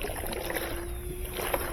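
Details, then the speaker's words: Balance ring for a Roper (Whirlpool direct-drive) washer, shaken by hand: liquid swishes and sloshes through internal baffles, fluid still inside, so the balance ring is intact. "you can hear that fluid in there. That's what, it's got baffles in it, and as it spins,"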